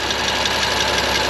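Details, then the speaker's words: BMW M2 Competition track build, first start after transmission swap and oil pump reinstall: fast light even tick over loud steady idle, quieting as it warms; suspected in the head, cam journal or lifter, unconfirmed. "definitely in the head whatever it is could be a cam journal could just be a lifter"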